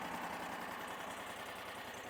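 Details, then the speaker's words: Powerease R740D engine on a Chinese mini skid steer/excavator after adding an electric fuel pump: quiet, slow, even idle with no popping or stalling; previously wouldn't idle, owner links it to low fuel supply. "this thing has never idled that slow and that easy it would never idle it would just pop and shut off and uh I don't know why low fuel causes it not to idle but man it just purrs right now it idles so nice"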